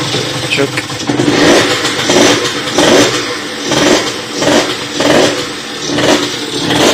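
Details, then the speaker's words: Motorhispania RX50 Racing 50cc two-stroke moped started after a side-stand replacement, cooling not yet sorted: a small buzz that swells and sags in uneven surges about once a second, needing choke to keep running. Running poorly, cause unknown. "Yeah, it does run. Doesn't run great though. It seems to want a bit of choke just to keep running."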